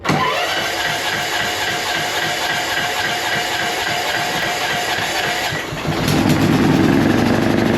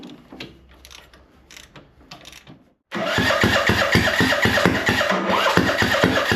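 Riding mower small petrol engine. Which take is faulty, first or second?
second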